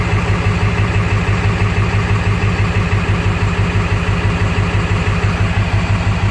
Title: Swamps Gen 3 230cc 100% injectors rough idle after start, dialing in tunes